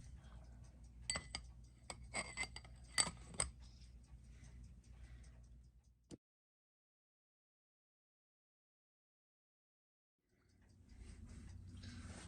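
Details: Seiko 6R15-01B0 after service, balance hairspring repaired; faint, fairly even ticking picked up weakly through the thick case, slightly hatchy trace because the timing machine hears poorly through it, nothing irregular; healthy serviced movement.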